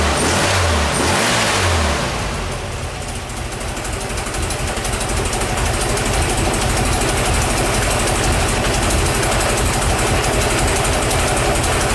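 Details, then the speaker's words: Type 1 air-cooled VW engine on the stand, out of the van, cold start after valve adjustment and new rocker covers: short crank then even, steady clatter with no miss or knock; normal cold start and idle. "Let's uh this going to be a cold start we'll go ahead and uh fire it up here"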